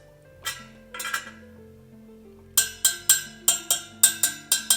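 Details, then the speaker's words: Honda XR80 spoked motorcycle front wheel on truing stand, spoke tapped after tightening past roughly two foot-pounds (spec about two to four): dull taps then bright, ringing pings, tension close to spec; tuning by sound only approximates a spoke torque wrench. "que está muy cerca, como puede ver, es posible hacerlo por sonido pero entonces de nuevo Solo estas adivinando Así que nunca será tan preciso como una llave dinamométrica."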